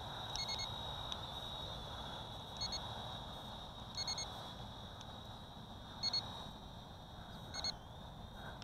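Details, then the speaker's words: CheerWing CW4 camera quadcopter (Syma X5C successor): short clusters of high-pitched transmitter beeps every couple of seconds over motor hum after pressing the headless mode button twice, confirming a mode change like one-key return. "oh I don't know what I pressed the Headless mode button twice and it did some something like a one key return you heard those beeps right"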